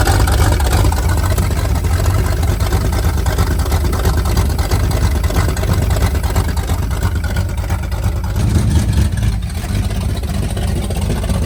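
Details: 1978 Pontiac Firebird with a 305 V8, abandoned since 1989, first run after priming the fuel: deep, even rumble holding a steady fast idle with no knocks or misses; engine sounds healthy.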